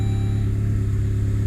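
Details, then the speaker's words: Saab 9-3 Aero with low compression, earlier misfiring on cylinder 4. After soaking the cylinders in ATF and steam-cleaning with water mist through the throttle body, it starts and holds a steady, even idle on all four cylinders with almost no smoke. "see how it starts up now that's interesting now it sounds like as a compression all four"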